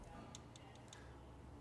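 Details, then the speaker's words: Alto saxophone on the repair bench for maintenance, after a bent key was straightened: light, bright metallic ticks, about four in under a second as the key closes; the cork under the key is missing so it hits metal on metal. "right underneath there, there's no cork, so it's metal on metal."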